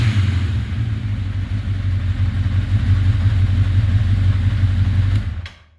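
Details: Rebuilt 1981 Honda CB900C motorcycle engine in break-in after restoration (carbs wanted to run on choke): even deep multi-cylinder burble at idle for five seconds, no ticking or knocking, then clean shutoff; normal idle.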